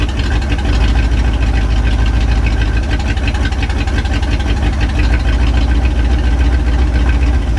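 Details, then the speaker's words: 1967 Chevy C10, 327 V8, 11,200 miles, first run in 33 years after fuel system work, no exhaust fitted: loud, lumpy V8 idle with steady deep rumble, no knocks or misses; normal idle. "she's running boys nothing's on fire the guy no exhaust so sounds a little loud"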